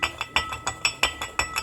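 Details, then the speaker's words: Stels Guepard 650/800/850 ATV CVT variator: sharp metallic clacks about six a second with the engine not running, the annoying crown knock; the fix is a two-tang BRP spring, with the crown hole drilled out to fit it. "всем привет сегодня хочу рассказать вам про стук короны и как его убрать вот этот стук который всех раздражает"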